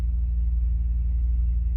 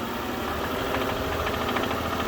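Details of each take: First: 2006 Bentley Continental Flying Spur (salvage) with the oil pan refitted and fresh oil, heard under the hood: low, steady, even idle with nothing knocking on top; normal idle. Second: 2006 Bentley Continental Flying Spur, salvage car, fresh oil after oil pan reinstalled: deep uneven knocking about three to four beats a second at idle from the bottom end; suspected rod bearing knock, engine likely needs replacing.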